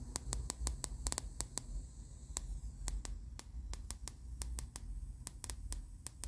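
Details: Sugarcube SC-2 Plus into a Sansui AU-919 with SCS3 speakers, nothing on the input: sharp, dry, clock-like ticks about four or five a second over faint hum, in the left channel only.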